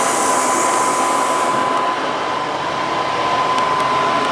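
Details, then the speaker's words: Thermodynamics plasma cutter after replacing faulty 220 V plug, test cut on scrap metal: strong airy hiss with steady high tone, no sputtering or dropouts; normal plasma cutting. "So it looks like it works. We're back in business with the plasma, which is nice."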